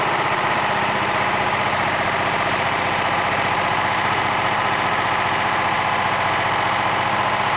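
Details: Old BSA 220 stationary engine from an estate sale, after repair, in good condition with its carburetor. It thumps along at an even, steady beat with no misses or stray knocks. Normal running.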